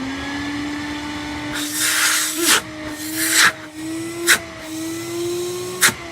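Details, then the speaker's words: Wet and dry industrial dust extractor in for repair, new wrong-size filter, modified 38mm hose, still blowing some dust; strong steady motor whine rising slightly, airy rushes from hose, sounds like an older pneumatic: normal running. "Now, this is actually quite a powerful machine. It sounds quite nice as well. I'm sure James will like the sound of this one. It sounds like an older pneumatic kind of thing."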